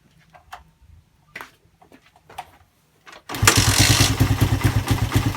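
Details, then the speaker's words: Suzuki Satria FU single that had lost compression from a badly leaking valve, after the valve repair and a new piston: handling clicks, then it fires and settles into an even, quick idle of about three beats a second; healthy. "Hai piston baru ya Tapi udah Kak berasap Kalau juga dia berasap halus banget suaranya ya"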